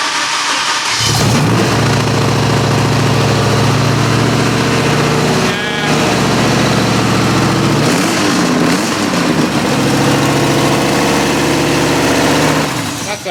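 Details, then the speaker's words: BMW E46 M3 with V10 swap and 10-into-1 headers, first start, no coolant, not revved: loud, lumpy idle with stumbling beat and missing pulses; misfire, several cylinders dead. "only on half an engine man that sounds terrible well that one's worn ah that one's dead cool oh yeah so we definitely got cylinders down haven't we"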